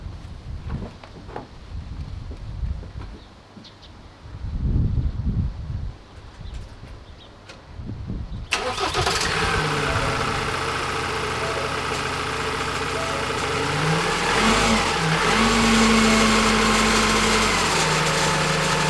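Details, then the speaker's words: Ford Transit Custom diesel starting and running rough with a steady droning whine from catastrophically failed turbocharger bearings; oil pouring out the bottom of the exhaust, turbo to be replaced. "you can hear the bearings on the turbo though foreign [Applause] just that's it catastrophic failure sir"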